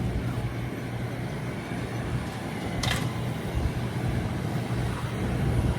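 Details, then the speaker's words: Combine harvesting with straw chopper running: steady drone with one sharp crack near three seconds, like something hard flung through the chopper; observer suspects a stone went out of the chopper, not confirmed. "Sounds like a stone's just gone out of John's chopper."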